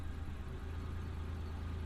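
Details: Daewoo Damas freshly converted to fuel injection with new ECU: steady, even low idle hum with no misses, knocks or ticks; small petrol engine idles smoothly and healthy after the injector installation.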